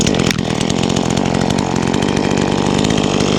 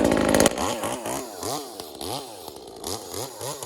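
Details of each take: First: New V-Modest 2511 top-handle chainsaw (Echo 2511 clone), cutting a limb on its first use after the low jet was set. Crisp, steady high-revving buzz that holds speed in the cut without bogging or surging. Normal running under load. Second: V-Modest 2511 top-handle chainsaw (Echo 2511 clone) revs through cuts at full throttle with a burbling, uneven note. It is four-stroking a little from a rich high-speed jet setting.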